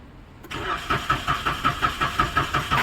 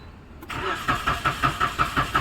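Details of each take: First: Maruti Suzuki Celerio that cranked but would not start, started on CNG after bypassing a faulty relay: cranks in a quick even rhythm about three seconds, then fires cleanly and settles into steady idle; normal start after relay fix. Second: Maruti Suzuki Celerio (petrol/CNG), after faulty relay bypassed with wire: starter churns steadily around five beats a second and never catches because there's no petrol; switched to CNG it then starts.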